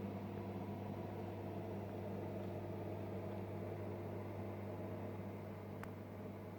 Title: Fluval FX6 operating noise after vibration elimination